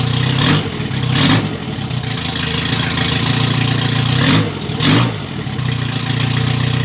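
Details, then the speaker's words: MG Midget with rebuilt twin SU carbs, no radiator: four quick throttle blips, each dropping back to a slightly uneven idle, while the jet is adjusted to stop stutter off throttle. Unsteady idle. "so here I'm just playing around for the adjustment on the jet tube just trying to get it to idle and run a little bit better and not stutter when I come off of throttle"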